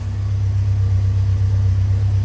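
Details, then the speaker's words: Alfa Romeo Spider at idle after a tune-up (new cap, rotor, wires, plugs), heard moving toward the exhaust side: steady, even low rumble with no misses, knocks or surging. Healthy. "But otherwise, real good smooth running engine, no vibrations, no coughing or sputtering."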